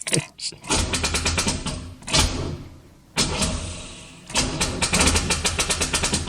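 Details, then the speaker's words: 1985 Chevrolet Corvette C4, sat about 2–2.5 years with old fuel: the starter grinds in short sluggish bursts and never catches. A slow crank blamed on a dead battery; a swapped battery seems drained by the bad original one. "i think this battery is just toast i've got others so let's try that okay we got a different battery on there it wants to start this battery is just"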